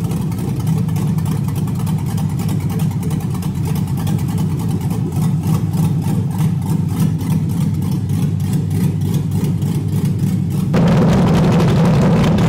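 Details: LS V8-swapped Miata with cam, freshly tuned, after loosening an over-tight throttle cable that caused high idle: choppy, lumpy idle pulsing about three times a second, revs rising smoothly near the end; healthy cammed V8.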